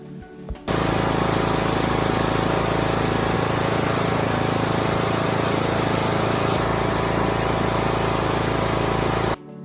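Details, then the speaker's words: John Deere E100 lawn tractor just started after a new fuel filter; steady, even drone running on fuel left in the engine as the new filter slowly fills. "Okay, it initially started with the gas that was remaining in the engine, and then you can see that it slowly started filling up here."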